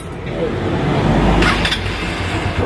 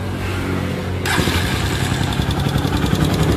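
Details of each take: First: Honda TMX Supremo single-cylinder motorcycle idling with a soft, even thrum and no ticking or knocking after the noisy-engine issue (rocker arm) was fixed. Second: Honda TMX Supremo motorcycle, noisy despite tune-ups; others blamed the bottom end. It idles with fast, steady ticking over the thump, found to be a worn exhaust rocker arm.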